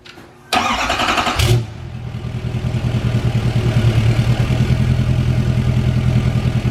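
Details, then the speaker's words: 2020 Duramax L5P diesel truck, first start after ECM tune, exhaust out of the downpipe only: brief crank, catches immediately, settles into a steady even diesel idle; started right up, running good, no issues. "So got her started up. Running pretty good, no issues. Started right up too, which I always do."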